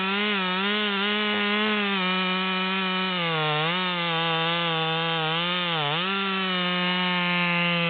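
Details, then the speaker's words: Ported Stihl MS200T with a 25-inch 3/8 bar, after a carburettor adjustment: a high two-stroke wail holds steady while cutting a large log, dipping only slightly under load and recovering fast; strong, healthy saw. "we can see that this version is cutting a lot higher in the wood than the other version and it motors right along even though the tip is struggling"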